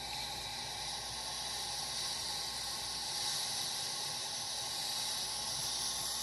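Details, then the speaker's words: Power Pressure Cooker XL, 10-quart, still hot, restarted on the fish/vegetable setting for 3 more minutes: steady, even steam hiss with no sputter as it quickly builds pressure. Normal. "This will take no time at all to come under pressure because it's so hot still. So you can hear it's already starting to get"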